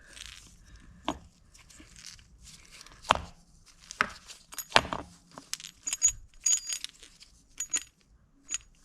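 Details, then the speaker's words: Suzuki Cara (Autozam AZ-1) AC compressor, removed with a grindy clutch: shaking it gives loose metallic clinks and rattles in irregular bursts, suggesting something loose inside. It is unknown whether the rattle was there before. "what's that noise I didn't shake it before so I don't know if it was doing that before"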